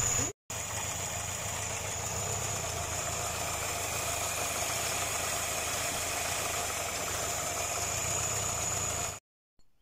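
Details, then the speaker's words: Homemade small tractor with Škoda 1202 engine, first run after twin- to single-barrel carburetor conversion, runs fine with and without choke: steady idle with constant airy hiss over the engine beat; owner bothered by the hissing, source unconfirmed. "ale to syčení No to mě tam štvalo je pravda nebo já jsem to tam slyšel No že todleto by mělo vyjíst vlastně do filtru"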